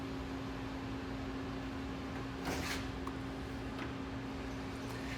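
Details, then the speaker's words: 1973 Mercury Cougar AC system: vacuum machine turned on after compressor install, running a quiet, even hum at one steady pitch while pulling down. Normal, though a leak was later found during the pull-down. "All right, so I'm gonna get the machine turned on, and we'll see if it sucks down. All right, let's see what happens. Oh, look at that. It's starting to make the vacuum."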